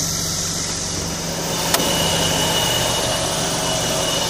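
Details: Hytrans HydroSub HS150 hydraulic submersible fire pump unit's diesel engine (turbocharged) at minimum RPM idle during stop procedure, turbo cooling down: steady, even smooth low drone with one brief click, no knocks or misses; healthy idle.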